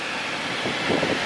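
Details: BMW F10 535d whose electric fan ran at high speed because a thermostat failing to open raised coolant temperature; after thermostat replacement (water pump not replaced), the fan gives a steady airy whoosh without rattle or surging, engine around 86°C.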